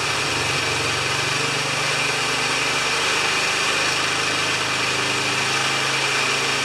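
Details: Older Briggs & Stratton mower after an adjustment turned a half turn: steady, even beat with no hunting or surging; normal running.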